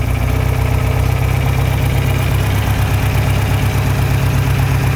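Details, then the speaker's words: John Deere 3020 LP with new head, without choke: deep, heavy, loping uneven idle, not enough fuel at idle, unclear at high idle, carb adjustments ineffective; sticking LP regulator starves the engine at idle. "so uh yeah not enough fuel at idle and too much fuel and high idle or the right amount of fuel at high idle I don't know"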